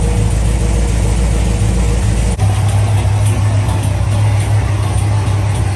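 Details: LS3 V8 in a Camaro, first start after both heads off, a stuck cylinder-one lifter removed and a new cam and lifter set fitted (it had backfired through the intake and ticked badly): smooth, even idle, quiet, no ticking or knocking; normal idle.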